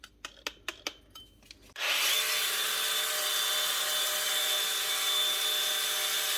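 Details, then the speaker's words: DeWalt power tool with starting-and-stopping complaint: handling clicks, then it spins up with steady high whine and rough rasp; abnormal drivetrain noise, worn gear, bad bearing or rubbing suspected, not confirmed. "it's not starting and stopping sure doesn't sound good there's something going on somewhere in this either a warden gear or a bad bearing or something rubbing something just ain't right"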